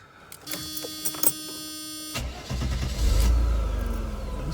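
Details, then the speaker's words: 1992 Mercedes W124 300, reported hard starting when leaving work. It was running rich, so the duty cycle was adjusted. On a hot restart at operating temperature it cranks briefly, catches at once and settles into a steady idle; hot restart is normal. "starts right up"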